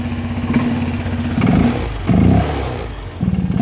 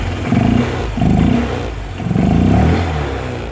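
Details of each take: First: Honda Vario 125/150 with an open air filter, cold after sitting overnight: lumpy idle with rev blips that sag and stumble before picking up, plus open-filter intake noise; owner suspects excess intake air, possibly injector setting. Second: Honda Vario 125/150 with a modified open air filter: short throttle blips bring a deep hollow intake roar swelling with each rev, normal open-filter induction noise; owner notes slight hesitation when cold.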